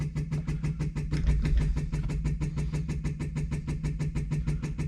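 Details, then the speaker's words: 1964 Ferrari 250 Lusso electric fuel pump, key on, started working after a tap: quick even ticking about six clicks a second, holding steady; priming normally, fuel gauge reads empty. "so i gave it a little bit of a tap and now it seems to priming look at that sounds like it's working"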